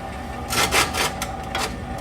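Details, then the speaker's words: Corn-burning stove after motor replacement, back in service, before the fan kicks on: light scraping and rubbing bursts over a low steady motor hum as the auger feeds corn; normal auger feed noise. "noise that's that auger turnning what is I wanted to show it to you before the fan kicks on cuz then you'd hear the noise the fan"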